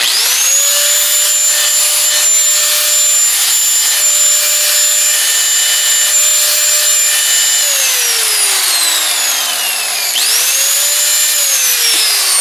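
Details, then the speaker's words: Porter Cable PC60TPAG 6-amp angle grinder, about 7 years old with many hours, after brush replacement; clean, steady high whine holding pitch, winds down smoothly and spins back up, much better than before, normal healthy running. "that's way better you can hear it already and so I remember what it sounded like when it wasn't working very well"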